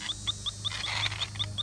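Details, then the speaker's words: 1988 Chevy Suburban R134a AC system, electronic refrigerant leak detector, air compressor running in background: fast steady high-pitched chirps, about five a second; detector needs recalibrating, reset shows a really big leak. "and you'll hear that that whooping needs recalibrated let's hit the reset button yes we do have a really big leak somewhere"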